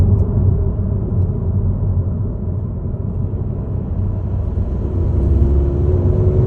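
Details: Ford Focus Mk4.5 mild-hybrid (MHEV) under acceleration: steady deep engine rumble under load with a faint whirring tone rising toward the end, strange noise of unknown cause.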